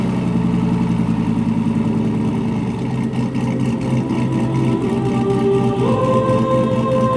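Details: Turbo LS1 Z28 Camaro with a stock cam, in January. A choppy, lumpy, big-cam-style loping idle followed by a short rise in pitch; the lope is deliberately tuned into the ECU ("Ghost Cam"), not a fault.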